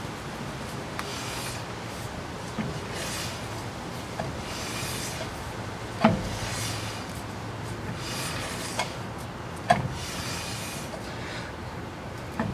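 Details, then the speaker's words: 1977 Chevy C10 rear drum brake after shoe adjustment, drum spun by hand: soft, even scraping swish on each turn, the light shoe drag wanted after correct adjustment. "okay so I've got the drum adjusted with just a little bit of drag on there and I'm going to spin it and hopefully you can hear just a little bit of drag on the drum"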